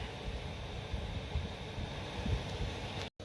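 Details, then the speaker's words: Van diesel heater after a temperature sensor replacement: a steady low combustion rumble and even fan rush with no surging or popping, burning cleanly and producing heat; running normally. "all right it is working we have heat success now let's clean up this mess I love it"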